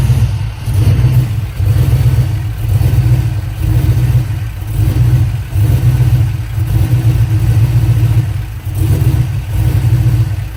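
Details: 5.3 V8 engine swap: deep note surging unevenly about every two seconds with lumpy stumbling beat; misfire causing rough running, fuel pressure suspected, not confirmed.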